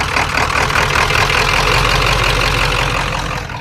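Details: Truck: engine catches and runs loud and uneven with a lumpy, irregular beat; rough running, owner suspects a failing cam sensor.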